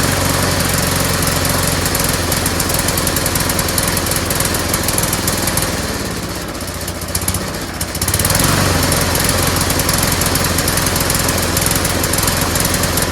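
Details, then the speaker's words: Salvaged lawnmower after fresh gas was added: the engine runs with an uneven, lumpy beat that sags and dips and never smooths out; it starts poorly and wants to die, and the owner suspects a valve problem. "all right I just put some fresh gas in it just doesn't sound right now"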